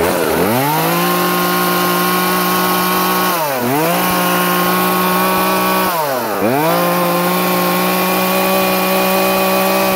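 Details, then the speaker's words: Poulan P3314 14-inch chainsaw after turning the H high-speed carburetor screw about one turn counterclockwise to fix bogging: holds a high steady scream, dips briefly through two cuts and returns to full speed without bogging. "fantastic sounded great that was a little challenging doing that with one hand when holding the phone camera"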